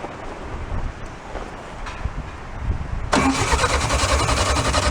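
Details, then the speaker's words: VW split-window bus engine sat about 40 years in a junkyard, bottle-fed fresh fuel with no tank line: cranks three seconds, catches into lumpy uneven idle; left side firing. "we're gonna let it cool off for a few minutes the left side just started firing right"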